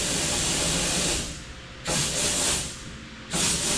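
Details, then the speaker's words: 1949 Chevrolet Deluxe, sitting for years, blowing through fuel line: three dry hissing air bursts cut off cleanly with no gurgle; air passes but no fuel. "It just sounds like the air is coming through it. It just doesn't sound like it's gurgling."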